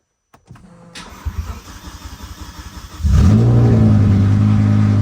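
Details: BMW E60/E63 M5/M6 with a newly installed SMG pump, after the INPA bleed completed and calibrated with no fault found: starter turns about two seconds, engine catches quickly and settles to an even idle. The SMG pump works and the car goes into gear.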